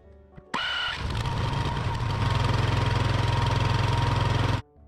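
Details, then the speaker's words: Hybrid snowblower's small engine, jetted for California, in freezing cold on half choke; it catches after cranking and runs uneven and pulsing at 3–4 beats a second; owner says it needs more fuel and an automatic choke. "it running on half choke halfway decently. I'll consider this a future problem."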